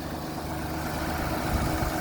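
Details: Jeep that sat since October, almost out of fuel, idling after being moved in reverse with grabbing brakes: a steady, even low rumble with no knocks or misses. A smooth, healthy idle.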